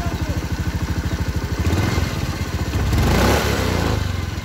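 Engine pulses evenly as the throttle is blipped and eased off; no scraping or rattle from the drive, just a clean rev.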